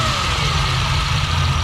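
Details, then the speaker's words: 1964 Ferrari 250 Lusso being troubleshot for a fuel issue, carbs balanced, oil ice cold while warming up, electric fuel pump clicking: deep lazy idle with a low rumble and faint whine, a little slow, partly blamed on the cold oil. "a little slow but i think part of it is the oils ice cold i let it warm up before i start tuning everything carbs are balanced"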